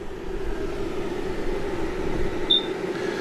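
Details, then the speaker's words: RV slide-out motor retracting very slowly: low steady droning hum dragging under load, sounds starved for power; owner suspects a missing power or ground connection. "But you can see what's going on here. Slow, slow, slow. I think it's missing a power or a ground."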